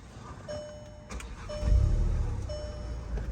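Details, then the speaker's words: 2015 VW Golf GTI, manual, in neutral with the clutch pressed: a dash chime repeats, the engine catches, then a low even idle settles in. It starts normally after a new part replaced a no-crank, no-start, no-dash-lights fault; the brake switch was also found faulty. "you can hear now it's running I still have to clear the lights and all this stuff"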